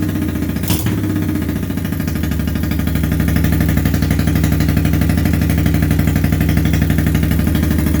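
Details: 1983 Honda Shadow VT750C, first start after engine rebuild with replaced front cylinder, gasket kit and ring grooves smoothed: steady lumpy V-twin beat, about three pulses a second, holding even after a brief catch; running cleanly.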